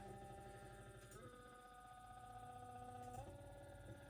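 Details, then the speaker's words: Stepper motor driven by an A4988 module from an ESP8266 at eighth microstepping, with tweezers gripping the shaft. Buzzy whine with several steady tones that jump up in pitch as speed is raised: typical A4988 driver buzz. "So, it's quite buzzy. I've got it connected to this little pair of tweezers here that's uh gripping the shaft."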